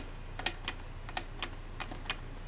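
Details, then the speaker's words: Dahon Classic III folding bike, long stored in a basement, headset checked during teardown: sharp dry clicks about three a second as the bars are turned; headset bearing notchy, needs a total rebuild. "if you hear that all that notchiness is in the headset right now so that's gonna need a total rebuild"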